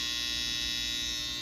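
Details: Babyliss FX trimmer after loud-noise fix, cutting hair: steady even high-pitched buzz, no rattle or rising tone; runs smooth and quiet, normal.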